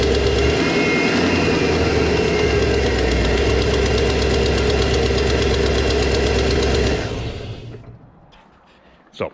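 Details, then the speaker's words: GM LS V8 truck, cold start at idle: sharp steady tick about four a second from an exhaust manifold leak that worsened recently, nearly disappearing as the engine warms and the metal expands, before installing repair brackets. "I would imagine you can probably hear that pretty good now as this engine heats up actually that almost goes away as the metal expands it seals back up"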